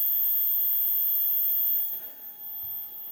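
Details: 3D printer Z-axis stepper, 2 A, acceleration 120, feed rate F1000, phone on desk: steady hum with buzzy abnormal vibration after a stall during bed lowering; cause unknown.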